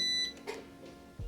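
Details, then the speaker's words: 2004 Mercedes-Benz S-Class W220 door after installing a new door lock assembly: brief high beep then one firm clunk as the door unlocks; central locking unlock works normally, soft close also confirmed working. "boom cool that works soft close works"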